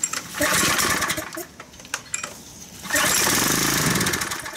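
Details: Craftsman pressure washer (Briggs & Stratton 6.75 hp) as dropped off, before repair: catches, runs about a second, sags and quits, fires briefly again; start-then-die fault cured by cleaning the dirty carburetor.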